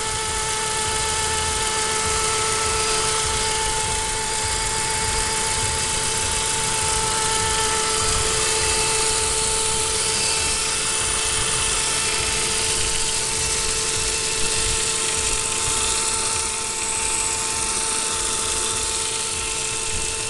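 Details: Saab 9-5 (MY02) with B205 petrol engine at idle: a strange steady, high whine held constant over a rough, whirring background; the source of the noise is unidentified.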